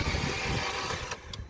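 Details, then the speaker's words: Vauxhall Astra H 1.4 petrol (79K miles, manual) cranks for about a second but won't start after overheating with coolant gone; water pump failure suspected, water leaking under engine; engine likely damaged, not confirmed. "yeah so the engine's now it won't start if you have a listen it'll crank but it won't start"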